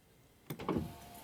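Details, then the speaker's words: Mercedes/Dodge Sprinter driver-side window after replacing the master window switch, which previously needed hard pressing: short, smooth motor whir as the glass travels on one touch, with no grinding or stalling; normal power window operation. "press really hard on it okay so you touch once and right there the window is coming down so this is good guys this is fixed"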